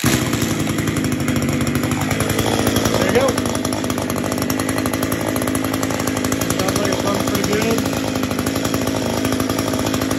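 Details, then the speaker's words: Echo SRM-210 trimmer after new carburetor fitted to cure hard starting, running on the old spark plug after the new plug wouldn't fire: steady, fast two-stroke buzz with no stumbling or surging; normal running. "Put the new carburetor on. Took a little bit to get it running, so sometimes it happens that way, but now it runs. Sounds pretty good."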